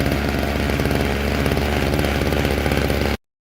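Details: Old two-stroke string trimmer after carburetor cleaning, new fuel lines and a new diaphragm (previously running as if dirty), before tuning: buzzing at a fast, fairly steady idle with rapid firing pulses until cut off; engine running.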